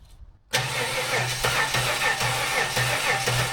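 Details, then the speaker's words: Budget L67 supercharged 3800 V6 swapped into a WH Caprice, first fire-up without the belt; the starter cranks unevenly at about three turns a second and never catches. Fuel is present at the bleed valve; the owner suspects low fuel pressure or no belt. "Might need more fuel pressure. I'll check the bleed valve on it. It does have one. Yep, got fuel. No bueno."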